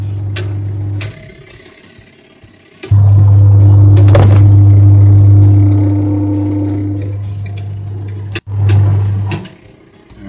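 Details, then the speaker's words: Twin-tub washing machine with slow, weak wash spin: motor hums and turns but lacks strength and the top does not rotate; the gearbox underneath was found leaking, with pooled water and residue on the walls. "Sebenarnya mesinnya muter, namun dia tidak kuat. Ya, bagian atasnya tidak memutar."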